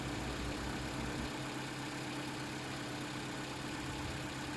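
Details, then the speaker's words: Toyota Camry 2.5 L, hood open, hot after big hill climbs, now on 5W30 instead of 0W20: quiet smooth idle hum, no distinct valvetrain ticking, previously louder with tapping and burning-oil smell. Normal hot idle. "But now, after switching to a slightly thicker oil, it is definitely quieter and smoother, definitely."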